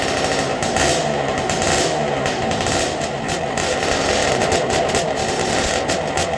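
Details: 2000 Honda CR125 two-stroke, fresh start after top end and carb rebuild, on fuel syringed into the carburetor: fires and holds a raspy, buzzing run that stays steady; engine running normally.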